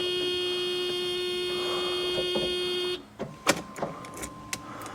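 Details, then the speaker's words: Mercedes AMG coupe sitting since 2009 after tank derusting, key-on fuel priming repeated a couple of times: a steady electric hum for about three seconds, then it cuts off with clicks. Pump activating and delivering fuel normally. "There we go. Fuel sending units working. Fuel pumps activating. I'm shooting fuel."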